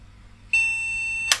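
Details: Retro MSI motherboard with an AMD CPU, recapped by its owner, powered on with no RAM fitted and no CMOS battery: a single long, shrill POST beep through an attached speaker, signalling that no memory is detected.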